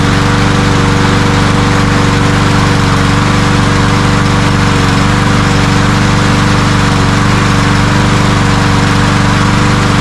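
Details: Cub Cadet self-propelled walk-behind mower that started then died from fuel starvation, after ultrasonic carburetor cleaning: small single-cylinder engine holds a steady, even idle with a constant buzz, no surging or dying; fixed.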